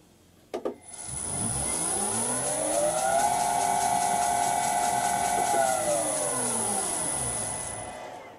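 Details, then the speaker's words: Vintage lathe motor on a new XYS-AT1 VFD replacing a 32-year-old Allen Bradley drive: clean steady electronic whine rising, holding, then falling on coast-down, running in the right direction; drive and motor sound healthy. "But now this sounds good. And it even runs in the right direction."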